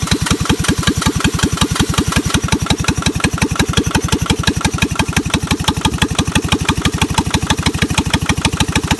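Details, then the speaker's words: Onan Lister Petter military MEP-802A diesel generator cranking with injector lines open: steady starter chug, about five even pulses a second, never catches; good squirts except number two, pump rack suspected misaligned after a rebuild, causing no-start. "here's my injectors when i crank it over you'll see i got good squirts from the pump not so much out of that number two though"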